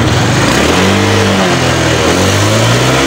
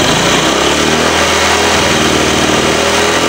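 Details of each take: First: Engine after work on the clogged catalytic converter, throttle body, timing and spark plugs, exhaust refitted: revs climb cleanly off the bottom and drop back smoothly with no bog, where it previously choked low down; normal rev response. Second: Engine held on throttle sounds choked and flat, pitch barely climbs, cannot rev freely; timing, throttle body and spark plugs already checked; blocked catalytic converter with wrong oxygen-sensor readings, power loss and high fuel use; cat later gutted/replaced with pipe.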